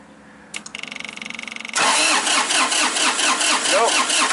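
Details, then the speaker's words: 2005 Massey Ferguson tractor, Japanese three-cylinder diesel, cranking with a high-pressure line fitting cracked open and no fuel spraying out: the starter churns with steady compression pulses but it never fires. Crank no-start, no high-pressure fuel because the shutoff solenoid isn't pulling in. "nothing that's the problem we have no fuel pressure no high pressure to the injectors"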